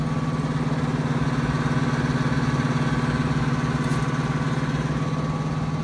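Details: Trane XB heating unit under a year old in a new home, run on heat after cleaning a construction-dusty filter: loud, steady low drone with a fast rough throb; abnormal running noise, cause unknown.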